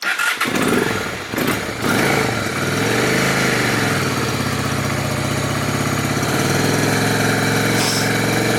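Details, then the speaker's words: Honda Shadow V-twin being revived for a bobber build, after spark plug change: fires up, flares, then settles into a steady even idle with no knocks or misses; owner says it only sounds bad when riding. "actually sounds good at idling she sounds perfectly fine but when you're actually riding the bike that's when it starts to ride and sound like [ __ ] so she sounds fine right now"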